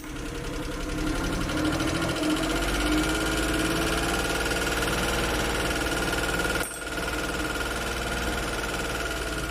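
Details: Suzuki F6 with hard starting and rough running: the idle lurches unevenly, its beat stumbling and catching with irregular knocks; a rough, misfiring idle.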